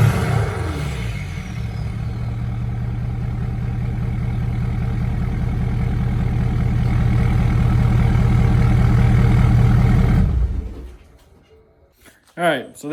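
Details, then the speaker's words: 2017 Ford Powerstroke diesel pickup after fuel filter and water separator change with SPE billet drain: quick rev at start, then even deep diesel clatter at idle until shutdown; runs clean, normal. "so let her idle for a little while and then uh yeah well give you a few little tiny wraps not really but kind of give it a little couple little rushes to make sure everything's good"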